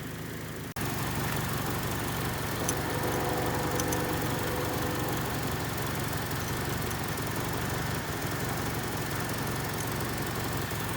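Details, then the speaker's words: 1979 Honda Civic 1200, warm after running about five minutes, just before an ignition timing check. The small engine ticks over at a steady, even idle with no misfires, knocks or hunting; the timing seems close. "it seems seems like it's pretty close though seems like it's running pretty good at whatever it's set"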